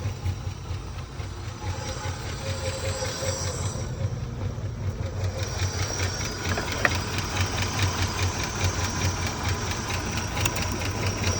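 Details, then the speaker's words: 1980 Rover SD1 V8, first runs after about 18 years, throttle turned up a little to keep it idling, alternator not charging: an uneven, lumpy, loping idle with irregular beats. "It does idle like that, but man, does it idle bad. But it is idling with the throttle turned up a little bit."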